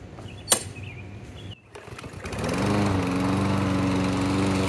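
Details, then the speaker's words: Briggs & Stratton engine on a Murray lawn mower, reassembled after compression loss with a new crankcase gasket, blade fitted: after a short pull it catches and settles into a steady, even drone, no knocks or misses. Normal running. "so there you have it it's running again I don't know for how long"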